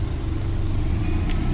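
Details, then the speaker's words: Subaru Forester STI first start after a turbo rebuild, with the map loaded and the exhaust closed: a steady, even low rumble at idle with no knocks, ticks or whine; it runs smoothly. "just running fine"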